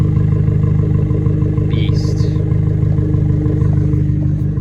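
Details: Abarth 595 Turismo, warm after driving to the gym: steady, even idle with a low, smooth burble and no knocks; sounds healthy, normal warm idle.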